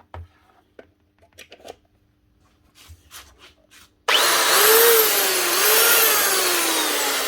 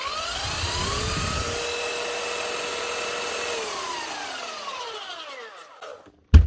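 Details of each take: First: Makita 9911 belt sander (76x457 belt), customer suspected bearings: motor whirs up with a rhythmic slapping about once a second that sags as it runs down; not bearings, a broken belt. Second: that's it one Makita Belt Sander 9911 from the year 2000 fixed up again it's just a new drive belt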